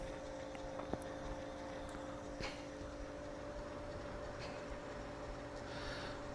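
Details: Washing-machine AC induction motor bench-wired outside the appliance, running on one of its speeds. The hum is quiet and steady with a constant mid tone and no knocks or rubbing. The owner suspects a bad capacitor.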